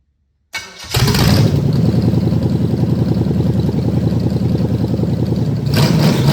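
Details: 1973 Chevrolet K5 Blazer V8; starter whirs, engine catches at once and settles into a steady, even lope with no knocks or grinding, healthy engine.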